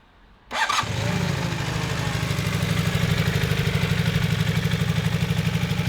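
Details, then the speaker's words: Restored barn-find Honda CB250 Super Dream after rebuild, started in the open for the microphone: starts on the button, catches quickly and settles into a steady, even idle with a regular low beat; exhaust sounds a lot better, healthy. "The exhaust. There we go. Sounds a lot better, doesn't it?"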